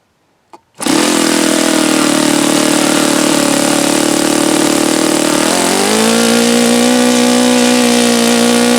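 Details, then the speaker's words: Saito FA-72a four-stroke model engine on first run: fires into a steady high buzz, pitch steps up midway; run sounds slightly off, apparently not tuned right for the day's weather, low-speed needle about two turns out before adjustment. "Yeah, so apparently it's not tuned quite right for today's weather."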